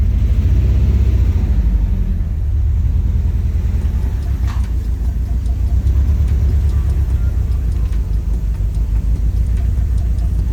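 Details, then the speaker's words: Nissan 180SX Type X SR20DET at idle with a low, lumpy, uneven exhaust thump, shaking like a lawn mower; misfiring, with plugs, coil packs, wiring, bad gas and ultimately the injectors suspected. "shaking so bad the car literally sounds like a lawn mower"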